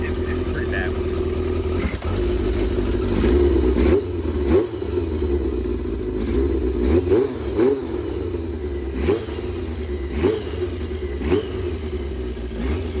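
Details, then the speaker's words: 1982 Yamaha XJ650 motorcycle, bought non-running, carbs cleaned, first start after months sitting, aftermarket exhaust: revs rise and fall with sharp puffing ticks on each blip over the exhaust drone; slight exhaust leak, intake valves possibly need lash adjustment. "It's got a super traffic exhaust on there. Little bit of an up exhaust leak in there."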